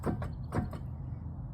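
Four quick hollow clunks as the raised wheel is rocked by hand, from play in the wheel bearing.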